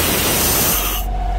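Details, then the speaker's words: Vanair 185 UDEC underdeck rotary screw compressor driven by PTO on International 4700 diesel truck, PTO repaired by rewiring its power, about 140 psi: strong steady air rush cutting back sharply; pumps and holds pressure normally. "coming out pretty crazy i'm actually a little worried about opening that thing all the way up don't have any tools for it but it's definitely uh pumping and compressing air it is holding pressure well"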